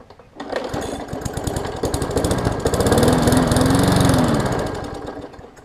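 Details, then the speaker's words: Briggs & Stratton Classic 500-series push mower engine built August 2007, on fresh gas: it picks up, swells, then sags with an uneven beat and won't hold speed; water in the fuel suspected, unconfirmed. "to me it sounds like we've got some sort of probably water in the fuel or something along those lines um just by what it's doing"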